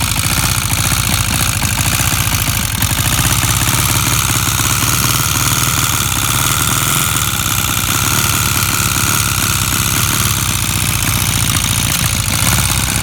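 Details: Honda CB400 at idle with loud, busy fast steady ticking over the engine beat, holding constant; suspected engine knock (cliquetis), source unclear.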